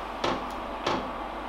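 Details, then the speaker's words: Cheap Chinese diesel parking heater, 10 °C ambient, 11.6 V: even soft clicks about every 0.6 seconds over a steady fan hum; fuel dosing pump priming a still-empty fuel line, normal. "Das ist die Pumpe für den Kraftstoff."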